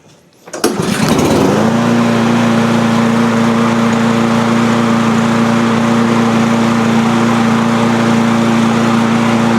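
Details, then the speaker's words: Cub Cadet push mower, Powermore engine, after valve train repair and bending the governor spring tab to restore engine speed; had popped and wouldn't stay running: catches quickly, steady even drone, no pops or misses, still smoking a bit; normal running. "Well, this thing's running pretty good now. Uh, still smoking a bit, but I'll put it outside."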